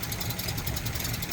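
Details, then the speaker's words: 1936 Rolls-Royce 20/25 at idle: soft, even low hum with a gentle steady beat and no knocks or rattles, remarkably quiet. Autovac fuel pump, vacuum-fed; pedal-pumped chassis oiler. Normal, healthy idle. "Just unbelievable, and just so quiet. Just so quiet. I can't get over just how quiet this thing is."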